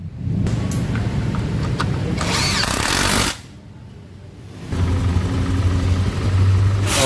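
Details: Honda Vario 125 scooter after repair of a rough rear-wheel noise traced to a worn swing arm bearing, which appeared after rear brake pads were replaced. Steady low engine drone that dips then picks up, no knocking or grinding from the rear; normal running.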